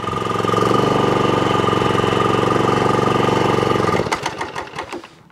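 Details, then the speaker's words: Job-lot John Deere walk-behind mower on choke with a very sticky drive clutch, owner suspects a rotor clutch issue; fast, slightly uneven chug of about four beats a second, then it dies; heavy smoke, owner thinks it may be overfilled with oil. "think there's a rotor clutch issue very smoky as well smoke the whole garden out it could be overfilled with oil"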